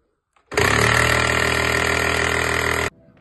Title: What To Do If Your Sage/Breville Grinder Makes This Noise… #shorts